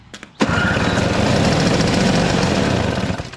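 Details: Toro CR20E single-stage 2-stroke snow blower with an electric starter and a diaphragm carburetor; the choke lever is disconnected, so the choke is worked by hand. A quick crank, then it catches and buzzes evenly for a few seconds before shutting down; starts and runs normally.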